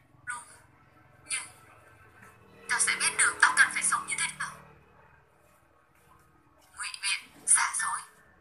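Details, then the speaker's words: BMB speaker: music thin and tinny with no bass; large woofer silent (earlier rumbling) while the four tweeters play normally; dead woofer, unit to be opened and tested. "Đấy, như vậy bốn loa này nói được rồi, còn loa to không nói được rồi. Nói chung là loa này không phát được, chỉ có loa chủ không phát được thôi, loa to này."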